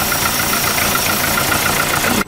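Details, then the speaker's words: VW Polo 4 engine idling, the accessory belt found broken in two places: a light even ticking about seven times a second over a steady idle, traced to a worn belt tensioner pulley bearing; the noise is gone when run without the belt. "اسمه معناتها هذايا فيه الرولمان نتاعو، يعني الرولمان بلي يقولوه يسموه فيه صوت. هذايا المشكل اللي كان في الصوت اللي سمعته لكم المرة الأولى في السؤال."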